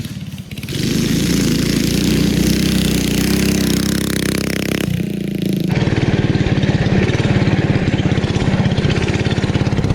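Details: 1971 Go Devil Model 104 minibike with Tecumseh HS40 engine, started by pulling after push-start attempts: catches, revs up, then settles into an even, steady pulsing run with no knocks or misses, running normally.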